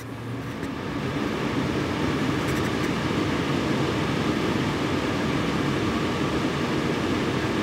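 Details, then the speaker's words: Antec Vortex 360 ARGB AIO liquid CPU cooler, fans at 50% speed on a Ryzen 5900: constant loud airy whoosh with a faint steady hum, no ticking or grinding; somewhat loud but healthy. "yeah they're a little bit loud but to be fair at 50% they the asent"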